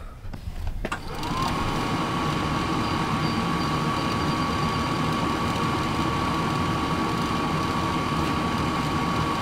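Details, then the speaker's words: Travel trailer furnace that previously got no gas (fan ran, tried to ignite) now getting fuel after repair: blower spins up to a steady, even whir, no stutter or clicking; furnace lights, burns and makes heat normally. "amazing when the furnace actually gets fuel it will light burn and make heat is that not amazing"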